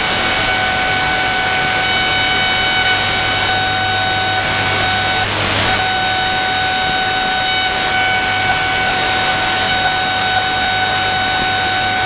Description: The noise spans from about 15mhz right up to 21mhz, then just buzzzzz :(